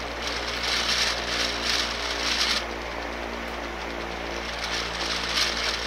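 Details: Durafan 18-inch barn fan with sealed motor, 14 months old, used under two summers: steady motor hum with a rough, pulsing hiss about four times a second; owner suspects failing bearings.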